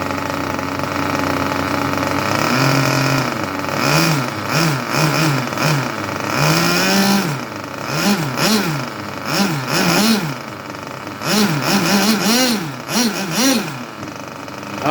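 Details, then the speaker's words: Junkyard Mutt nitro engine on a break-in stand, first start: clean, crisp revs rise and drop quickly with each throttle blip, then settle back to idle without stumbling, normal healthy carb response. "I think she is a good runner. That is a beautiful idle. Responds well to the carb. That is lovely."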